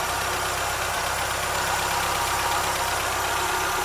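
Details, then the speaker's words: Triumph Spitfire MKIII after head rebuild and oil leak fix, warm with temperature up and fans running: a steady, even idle with a smooth low beat and no knocks or misses; running well. "She's running pretty good, if I say so myself."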